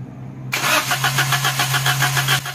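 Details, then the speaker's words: Suzuki Alto (2021) with DTC P0336 that persisted after the crank sensor was replaced twice: about two seconds of cranking at roughly four even beats a second before it catches. The long crank is caused by a bent tooth and play on the crank pulley reluctor plate. "اندر پلے انے کی وجہ سے گاڑی long cracking کرتی ہے بس raise دیں اس کا جو ہے نا ایک دانت جو ہے نا ٹیڑھا ہے"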